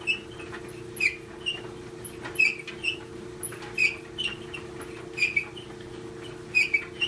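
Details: GE dryer drum turning with a sharp high squeak repeating about every second and a half; idler pulley first suspected, but sound is typical of worn-through front drum glides.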